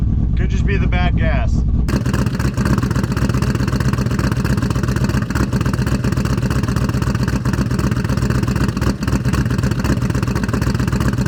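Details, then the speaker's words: Cammed Chevrolet Silverado V8 after a spark issue was solved, cold start: lumpy, uneven idle with loud exhaust pulses, stumbles and hunting; now running on all eight but rough, owner suspects bad gas and off timing from the tune. "finally running on all eight now granted that sounded terrible"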